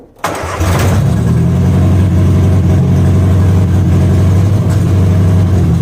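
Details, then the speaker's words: 1963 Austin Healey Sprite Mk2, retired race car: catches and fires loudly through a straight header, low beat lumpy and unsteady; starts but won't stay running, cause not confirmed. "All right, as you guys can see there, it's not wanting to stay started."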